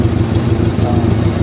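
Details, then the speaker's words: 1985 Honda Gold Wing GL1200 Aspencade barn find that sat 28 years, first run: low lumpy idle close to stalling; owner suspects gummed carburetors and residual old gas and expects heat cycles and Seafoam to help; unstable idle. "just a little bit cuz it would quite idle was really really close I think uh few heat cycles and we got it I mean I think the carburetors will get happier"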